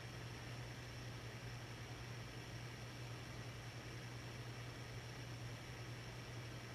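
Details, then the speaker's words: 1982 Hunter Original 52-inch ceiling fan #22822, 3-speed conversion, Reverse-Aire brackets without isolation ring, on low speed around 120 RPM: smooth steady low hum with faint mains buzz, no wobble, ticking or rubbing; normal low-speed running. "It's actually a rather fast medium original low speed for these. It's going to run around 120 RPM."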